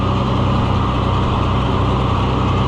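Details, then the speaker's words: Oliver 1800 C series tractor that sat about a year, just started, settles into a steady even low idle chug with no knocks or misses, with oil pressure and charging; normal idle after sitting. "It's not running that bad for not having run in a long time. It's running really good for not having run in a long time."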